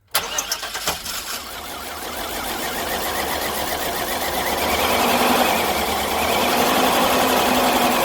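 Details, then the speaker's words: 1999 Chevy Express 2500 van, unrun for 8 years, new ECM, first start: cranks, catches and roars into an uneven, shaking, misfiring run that never smooths; owner suspects plugs and injectors need clearing as it warms. "start oh she lives but she is not happy and neither would you be if you sat idle or not doing nothing for eight years so she just needs some time to get nice and hot you know you got to clear the plugs and whatnot clear the injectors"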